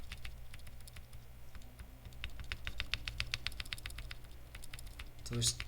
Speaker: yeah the ticking is the actual material so yeah the the pieces are too long but just proof of concept